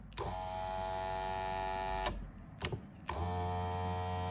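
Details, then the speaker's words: Audi TT mk1 roadster, electric soft-top hydraulic pump wired to the top switch bypassing a faulty comfort module: pump whines steadily, running one way then the other, but the rams neither rise nor fall because the valve is not yet connected. "on entend bien la pompe hydraulique tournée dans un sens puis dans l'autre. Donc, on a bien alimenté nos relais ici inverseurs qui sont intégrés à la pompe hydraulique, mais cela ne fonctionne pas. Les verins ne montent pas et ne descendent pas."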